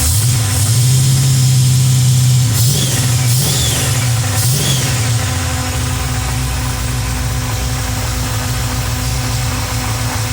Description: Short video of the 400 in my LeMans while diagnosing a knocking noise